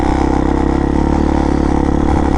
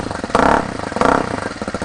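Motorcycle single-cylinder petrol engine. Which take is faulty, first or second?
first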